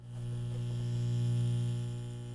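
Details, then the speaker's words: RCA giant cassette player's solid-state outboard amp and speaker, microphone at speaker: steady low hum rising slightly then easing; leaky electrolytic filter capacitor letting mains ripple through. "now in the background you may hear a bit of noise and that's coming from our solid state outboard amp and speaker there's an electrolytic in here that's clearly leaky"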